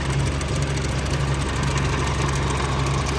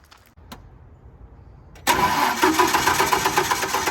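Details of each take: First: Generac 50 kW propane generator bought at auction, side panel off, propane hose fed straight to the regulator, warming up: low, even idle with no knocks, very quiet. Owner thought he heard a possible lifter or valve-train noise. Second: Generac 50 kW propane generator bought at auction: starter cranks at a steady four beats a second but it never catches. The low fuel pressure light went out, yet no propane seems to arrive; owner suspects the tank is nearly empty.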